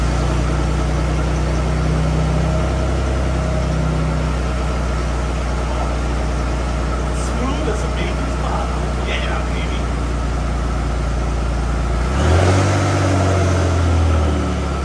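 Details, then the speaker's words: Aston Martin DB7 inline six at idle after spark plug change (check engine light on, previously lumpy low-end running): low, steady, even hum without stumbles, now idling smoothly. "all right guys so just fired it up and i can tell you right now dude it is idle smooth i can't even feel the engine running other than hearing it and smelling the exhaust coming out and stuff like that"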